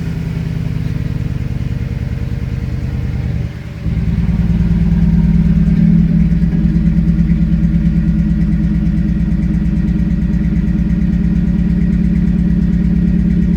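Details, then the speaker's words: Saleen S331 supercharged V8 at idle: uneven, loping beat with irregular exhaust pops and the engine shaking, a misfire at idle. The owner suspects a faulty CHT sensor misreporting temperature and over-fuelling; not confirmed. "it does like popping, you know, misfires kind of in a sense. So, I'm assuming that sensor is just not telling the computer what the actual temperature is."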